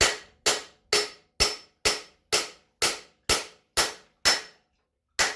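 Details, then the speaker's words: Yamaha Road Star steering-head bearing race driven into frame neck with OTC driver, bevelled side in: sharp ringing hammer blows about twice a second, tone changing as the race bottoms out fully seated. "So what I'm going to do now is go ahead and turn the driver over so that the beveled side is facing in, or the tapered side is facing in, and I can drive directly into the bearing race. And there'll be a different sound once it bottoms out."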